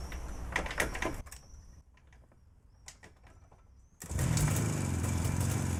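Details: JAWA 350 two-stroke that would not start, fitted with a rebuilt contactless ignition circuit replacing the cam points, with some parts and thyristors swapped to other values: after clicks and handling noise it fires and settles into an even, rapid putter.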